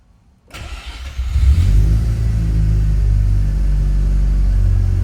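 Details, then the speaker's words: Barn-find Mazda RX-7 rotary after complete engine rebuild, now fixed after a missed spark plug caused stalling after five seconds: starts within a second and settles into a smooth, slightly high idle, with TPS not yet set. "She's running, boys. Listen to that purr. It sounds so good."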